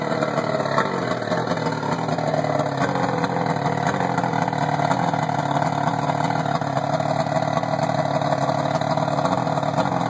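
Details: Rebuilt 120 hp Force outboard, L-drive, on a 1991 Maxum, first start after rebuild: steady, even two-stroke buzz at a fast idle with no knocks or rattles, somewhat smoky, running smoothly.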